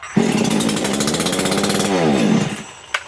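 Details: Makita EA3202S/EA3203S chainsaw after starter ratchet replacement, primed, choke moved down after catching: fires and settles into a steady, even two-stroke buzz, revving smoothly then easing off.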